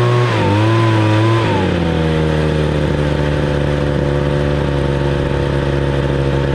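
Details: 26cc two-stroke gas engine, cold start: fires, flutters briefly, then settles into a smooth, even, steady tone without stumbling; running healthy.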